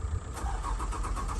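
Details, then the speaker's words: 2004 Lexus RX330 with failed alternator and flat battery, jump-started with cables; about eight quick, even cranking pulses, then the engine fires and runs after previously giving no crank. "there we go, it's cranked and started."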